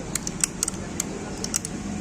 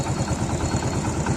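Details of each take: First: Hero bike with magneto cover removed, flywheel turned by hand, engine off: slow uneven light metallic clicks from a loose magnet inside the flywheel. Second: Old Hero bike single-cylinder idling after the magnet cover was refitted and tightened; earlier rattle from loose plates gone, steady even putter with no rattle; normal idle.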